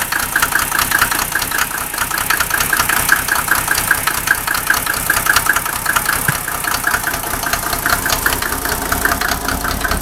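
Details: Mercedes OM603 diesel, cold: uneven clatter with irregular stumbles roughly once a second over a loud idle, misfiring; smoke drops only with injector lines 2 and 6 cracked, glow plugs tested fine, still rough warm; cause unconfirmed.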